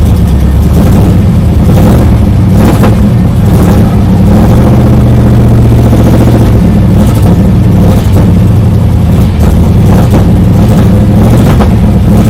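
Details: 1995 Chevrolet Camaro Z28 with LT1 V8; deep rumble revving unevenly with stumbles and hesitation under throttle; owner asks about misfire and bogging, cause unknown.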